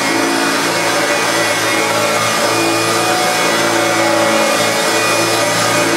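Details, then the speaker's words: Hoover Turbopower Autoflex U2198 upright vacuum after refurbishment: steady even motor roar and airy rush, no grinding or rattle; previously had two nearly seized motor bearings, now new belt and brush roll. "absolutely spot on there is that is working perfectly out with its brand new belt and brush roll"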